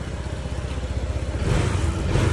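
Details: Honda PCX 160 MC taxi, 82,904 odometer, after engine overhaul (new block and piston, still breaking in): low, even putter picking up smoothly with throttle, no knocking; back to its normal quiet sound.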